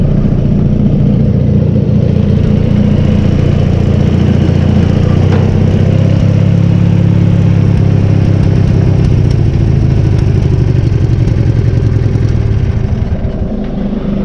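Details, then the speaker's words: BC620 chipper after disc bearing replacement: deep steady drone, disc spinning smoothly, no rubbing; earlier vibrating noise from rubbing bearing protector is gone. "And it's already not making the noise that I noticed before. When the bearing protector was rubbing funny, it was making a, I don't want to say a high-pitched vibrating, but it was vibrating enough that I noticed it. And it's not making that noise this time."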